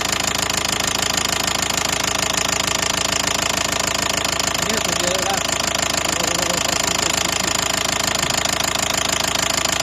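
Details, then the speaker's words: 2012 Nissan Qashqai 1.5 diesel idling: steady, even mild knock about three times a second from the top end, began suddenly on a morning start. "проблема в следующем раздается стук не сильный такой но стук исходит из верхней части где-то вот"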